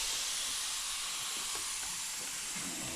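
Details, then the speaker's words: Honda intake manifold pressure test with compressed air, paper gasket replacing leaking steel one, engine off: steady, high, rhythmless hiss; air leak, suspected at a hose, with the gasket leaking slightly. "Yeah, gasket is leaking slightly."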